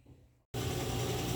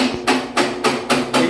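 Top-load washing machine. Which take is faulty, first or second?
second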